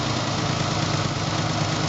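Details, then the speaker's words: 300k-mile Ford Bronco II after OTC injector cleaning of plugged injectors; it had idled on 5 cylinders, rough, with a puffing exhaust. Now a steady, even idle with no misses, only a little vibration: a normal idle. "still got a little vibration but oh my goodness let's go back and listen to the exhaust totally smooth that made a big difference"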